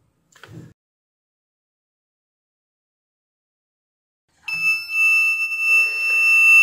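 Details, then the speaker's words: Ezion digital water level indicator meter powered with sensor cable disconnected: after silent gap a continuous high-pitched buzz starts and never stops, showing full tank; buzzer stuck on from shorted switching transistor. "Problem ये है कि जब इसको यहाँ पर connect किया जाता है पावर के साथ तो इसकी सेंसर केबल उतरी हुई है, इसके बावजूद ये बीप दे रहा है और ये फुल टैंक शो कर रहा है, जो कि नहीं करना चाहिए।"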